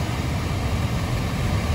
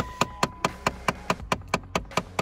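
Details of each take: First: 2013 Dodge Avenger at idle with fan running after blend door actuator repair; no clicking or ticking from behind the dash where the actuator previously clicked when AC or heater was on. Normal operation, no actuator clicking. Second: 2013 Dodge Avenger with AC or heater switched on: fast, even plastic clicking from the dash, about four or five a second, from a failing blend door actuator.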